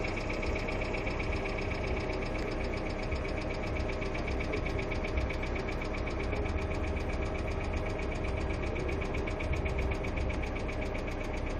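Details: Hyundai Accent II at steady idle with light, fast ticking quicker than the firing pulses, a hydraulic lifter tick, possibly lifters not holding oil pressure.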